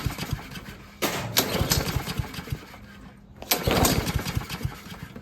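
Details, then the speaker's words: Troy-Bilt 21in self-propelled mower that won't start, fuel in tank: two pull-start tries give short sputtering puffs but never catch; owner rules out spark plug and suspects the carburetor. "definitely puffing a little bit let's just try and give it a couple more goes now I don't think it wants to start it's definitely trying to um get going but I don't think it can so that probably is a problem with the carburetor"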